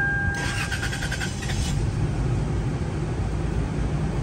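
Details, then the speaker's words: 2000 Toyota 4Runner 5VZ, after MAF sensor replacement for long-crank hard start that appears after sitting 5–10 minutes; warm restart after 4–5 seconds off: chime, about a second of cranking, catches promptly into even idle. Normal quick warm restart. "si ahora mismo lo apagamos y Esperamos que seamos unos 4 o 5 segundos y lo volvemos a aprender el tren de rápidamente"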